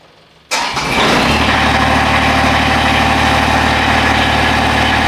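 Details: Husqvarna riding mower after a new battery install catches after a short crank and settles straight into a steady, even idle with no misses or pops; normal idle.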